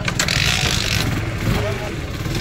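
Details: TVS Apache RTR BS4 motorcycle after fixing starting/misfire current problem, CDI supply line checked and disconnected handlebar switch connection repaired: steady, even low idle with no misses, stumbles or rattles; running cleanly.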